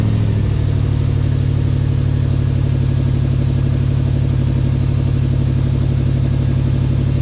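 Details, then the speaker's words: 1979 Lil Red Express truck just started after six months of winter storage, warming up: deep, even V8 idle with steady lope about four beats a second, no ticks or misfires; healthy warm-up idle. "let her warm up for a minute and maybe we'll pull it out fresh air for a minute"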